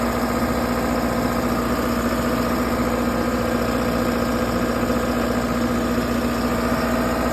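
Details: 60kW Kohler REOZJ diesel generator on a mobile MRI/X-ray trailer, running with fuel solenoid wired in and starter jumped after control board failed. Steady even diesel drone, low hum, regular beat near 220 a minute; smooth normal idle.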